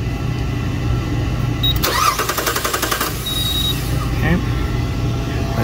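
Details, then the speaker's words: GM 3.6L direct injection engine, Kent Moore active fuel injector (AFIT) flow test while cranking; quick run of sharp evenly spaced injector clicks over quiet background, injector three listened to. "okay that's the injector making that buzz noise was it it was spraying kind of cool"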